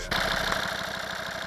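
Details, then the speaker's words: Volvo V50 D5 diesel with 142,000 miles, warm idle after a test drive following EGR valve and pipework cleaning: a quick, even chuffing "tugboat" pulse with a light rattle on top. Owner says the lifters are rattly and need doing eventually. "We'll get a bit of this tugboat sound, but yeah, the lifters are rattly."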